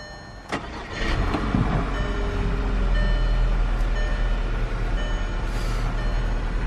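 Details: 2009 Volkswagen Touareg TDI diesel, about 2,000 miles on the trip meter, start after an underbody check for the model's known oil leaks: cranks briefly, catches and settles into a steady, even low idle clatter; healthy start, no misfire, no check engine light.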